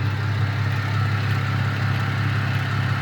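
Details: 2010 Chevrolet Camaro at 143,000 miles with on-time maintenance: deep steady idle, even low rumble, no knocks or rattles; normal idle.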